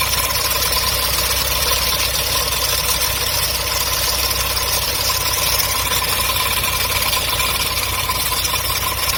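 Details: MGB engine idling: steady idle with hissy, whirring top end and odd tone running through it; strange unidentified engine noise, new water pump fitted in summer 2019.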